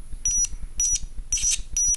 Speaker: so tiny arcs poor arcs small arcs flyback Transformers are having a polarity so if you if the polarity of your driver circuit to the flyback is wrong just swap it change the polarity and it should work fine